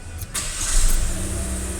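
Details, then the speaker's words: Chevrolet Onix automatic with 75,000 on the clock, on gasoline, after the scan tool reset the alcohol percentage to 20%: a short crank, quick catch and steady, even idle with no knocking; normal start and idle. "Já caiu a lenta, já ficou redondinho na onde que eu quero, certo, ó."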